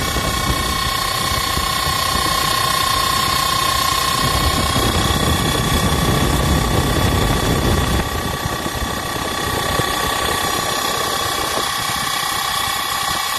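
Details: Blower running with a loud, steady rushing roar and a constant high whistle, no clear knock; cause unconfirmed, with belt wear suspected and overheating possible if run longer than one minute per use, and mounting on the ground or suspended questioned.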